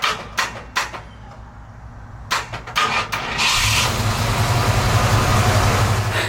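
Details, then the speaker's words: Early Ford Bronco failing starter motor: several sharp clicks with no cranking, then it finally spins and the engine fires. Intermittent fault, starter to be replaced. "Starter sounds terrible. I think we're gonna put a new one on."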